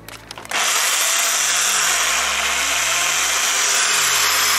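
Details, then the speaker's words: Bosch PSB 500 500 W corded drill after freeing a seized chuck and cleaning with CRC 5-56: brief rattle, then steady, even high whir; bearings still make some noise, to be replaced later. "Evet arkadaşlar, matkabımız çalışıyor."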